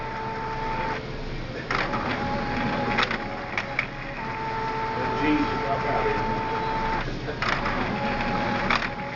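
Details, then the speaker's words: Epson WorkForce 615 printer that had been printing blank pages, now printing garbled characters, while checking whether it's a driver or printer fault. Stop-start passes with a thin whirring carriage tone and pauses between lines; printing slower than normal. "now okay now it's printing something I can hear it printing something it's going slower"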